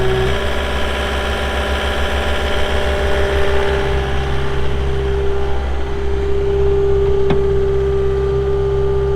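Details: 2022 Caterpillar 259D3 skid steer, 2,058 hours: diesel settles into a steady, even idle with constant low drone, no knocks, misses or odd noises; normal diesel idle.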